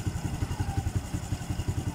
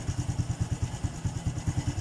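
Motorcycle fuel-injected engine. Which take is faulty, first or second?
second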